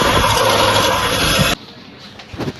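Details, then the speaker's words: Hyundai Creta engine running: loud high whirring rattle over idle that cuts out when the clutch is operated; broken clutch release bearing, replaced along with clutch plate and pressure plate. "ये देखिए clutch ने छोड़ने में जो आवाज कर रहा है य कलच रिलीज वायरिंग का आवाज जिस से य न हो रहा है इजन रनिंग"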